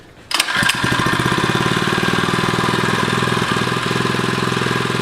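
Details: Predator engine on a radio-controlled Rascal go-kart, after a bent crankshaft had it cutting out and smoking; quick pull-start catches at once into a brisk, even single-cylinder putter: normal start and idle.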